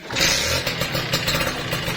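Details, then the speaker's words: Kawasaki Ninja RR two-stroke with severe "kemletek" (engine clatter) and whitened bore, started for a before-repair check: fast metallic rattle over the buzzy idle keeps pace with the engine, a worn piston slapping in the bore. "Oh bener nih, kedengeran. Nih, ngeletrek ya."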